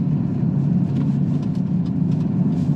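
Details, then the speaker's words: Audi Q7 3.0 TDI on a road test after transfer case replacement (old one had burnt, metal-laden fluid, caused rear tyre skipping and binding in corners), with DPF delete pipe and Stage 1 tune; steady cruise, coasts through corners smoothly; normal driveline. "but driving it again, it's quite nice. So it just takes and coasts through corners. It's like it was when we first got it."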